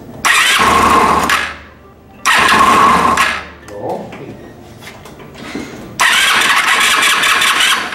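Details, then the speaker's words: Italika WS-150 motorcycle that would not start, cranked in the workshop: repeated start-up bursts that catch quickly but run rough and clattery with a harsh knock. "entonces tenemos situación de que se arranca pero sigue sumando horrible"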